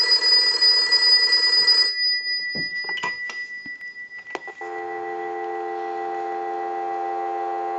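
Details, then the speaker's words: AE Monophone 40 rotary desk telephone after repair and conversion, final checkout rung from a line analyzer and heard through an amplified pickup: bright, rapid bell trill for about two seconds, then handset clicks and a steady test tone; ringer works properly. "now what we want to do is we want to go ahead and use the analyzer and will ring the unit we're going to let that go a few times I'll let it go one more time"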